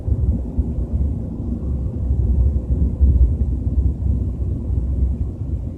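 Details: BMW 320i with a deep, wavering low-pitched rumble while cruising at 30–40 km/h, rising and falling slightly; source not yet pinned down.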